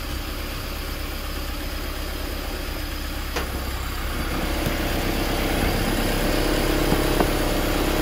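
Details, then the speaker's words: Honda Civic hatchback engine, first start in 10 years, no coolant in, headers getting hot: steady even idle creeping slightly up, no knocking or grinding heard, though engine later deemed junk. "headers getting hot but it sounds really good i don't hear any grinding"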